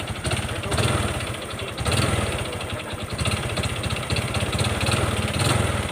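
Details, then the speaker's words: Honda Wave 125 motorcycle engine revved in bursts: hard rapid knock with each rev and a thin whine over it; connecting rod big end failed, rod previously rebuilt once, engine to be opened and rebuilt. "แค่นี้ก็รู้นะนี่เสียงก้านก้านกลางมันพังครับแล้วก็ทิ้งแหลมวิ้วๆๆ"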